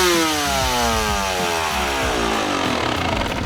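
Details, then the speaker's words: Two-stroke bike with smaller main jet fitted to demonstrate lean jetting: revs climb fast and hang high and thin instead of dropping back, risking detonation — main jet too lean. "actually can hear that as soon as I Revit just picked up straight wankers way too high and then that's when you're at risk of detonation of the engine"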